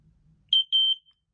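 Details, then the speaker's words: Smoke alarm with both ionization chamber and photoelectric sensor, ionization test button pressed while LED flashes: two shrill high-pitched beeps at one steady tone, clean and loud; normal test response. "as you can see there are two test buttons on here one will test the ionization chamber youall saw the LED flash"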